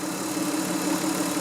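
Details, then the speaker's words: Car that kept stalling suddenly; first start after replacing the fuel filter and then the fuel pump. Smooth, steady idle with an even hum and no misses, knocks or surging; normal idle, and the problem was later confirmed fixed. "that's a great sign let's take it out for a drive and see how it runs"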